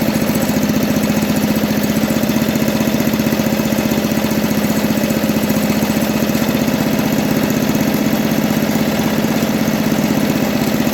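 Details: 1980 MTD SnowFlite 5-20 snowblower on a new carburetor, mixture screw opened one turn from nearly closed: small single runs on at a steady, even pace with a constant beat and no misses or hunting; running smoothly.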